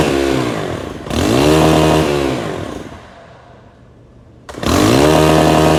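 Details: STIHL FS 131 R trimmer, hard to start, won't stay running, no mid-range; choked and revved, it falls away to near stalling when the throttle is released, an air leak, with an oily valve cover.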